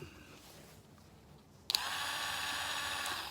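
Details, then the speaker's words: Original Valvetronic motor removed from a 2007 BMW 318i, a 12 V DC motor bench-tested off the car: it spins up to a steady high whir with a slightly gritty edge. It sounds "bearingy" and unlike its in-car running; worn bearings suspected, not confirmed. "it sounds a little bit bearingy to be honest i don't know if you're picking that up now it would never spin like that in the car sounds a lot different to me"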